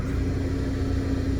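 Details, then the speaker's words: Ice machine motor spinning freely after its drive belt broke: steady low hum with no load behind it. "broken belt you can hear the motor running i can hear the motor running with no belt that's what i'm hearing right there"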